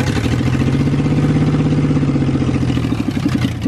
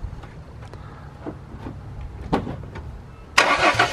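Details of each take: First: Mustang drift car on the stock tune with no O2 sensors or EGR, after a spark plug's porcelain broke. A lumpy, stumbling idle shows a misfire on one cylinder, so it isn't firing on all cylinders. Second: Mustang after replacing a broken spark plug wire that caused a misfire: starter whirs, engine catches and settles into a steady, even idle with no stumble or miss; smooth, no longer sounds like a tractor.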